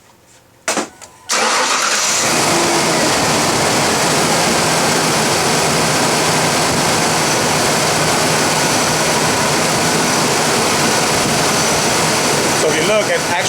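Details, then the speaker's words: 2000 Ford Ranger 3.0L V6 just after replacing the cracked serpentine belt and the idler pulley, which had been noisy at morning start-up or with A/C on: catches and settles into a steady, even idle with no chirp, squeal or rattle; normal running. "the belts are running pretty good no more noise from that tensioner should be good to go"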